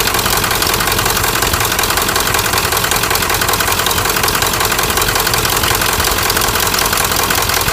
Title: 1997 Ford F-350 turbo diesel bad injectors